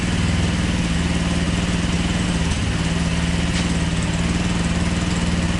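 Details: GY6 150cc quad, new engine's first start: small single settles into an even, steady putter at about four beats per second with no knocks or misses; healthy idle.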